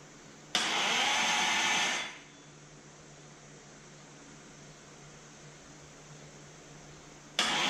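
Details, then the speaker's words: 1973 Dodge Dart with Gen 3 Hemi, gear-reduction big-block Mopar starter on a custom aluminium adapter plate, first crank test: a loud even starter whirr of about 1.5 seconds, then another crank. Starter spins freely; normal cranking. "It's cranking."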